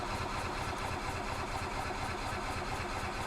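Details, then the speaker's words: 2005 Club Car Precedent gas golf cart, stored and parked until now, cranked in service mode at full throttle with choke: long steady starter churn before it catches, dies when choke released; blocked carburettor or poor fuel flow suspected. "can see how long it takes for it to actually fire up there it goes"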